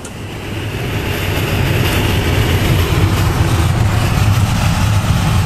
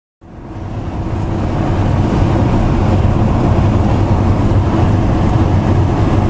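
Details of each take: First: Winnebago Lesharo (Renault-based van) driving after black electrical tape covered the front window lip on both sides: only low steady road rumble building with speed, no whistle or wind from front windows; quiet ride, wind noise fixed. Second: Winnebago Lesharo (Renault-based van) at highway speed: steady loud rushing roar with low drone from behind driver; no air leak, the opening window's metal flange catches wind and resonates.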